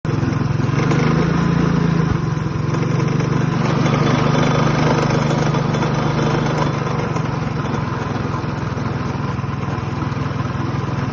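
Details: Customer's minibike, small single-cylinder engine revving then settling: loose, buzzy rattle riding on the exhaust beat; source unclear.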